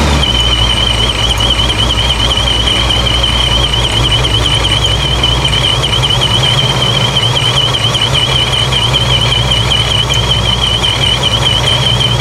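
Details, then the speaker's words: ProCharger-supercharged 426 Dodge Charger Scat Pack, after a boost leak that limited it to about 2 psi was fixed: loud, constant idle roar with a high, slightly wavering supercharger whine on top. Normal idle. "I'm gonna fire it up again and let it idle for a moment and then um try to make sure it's making boost"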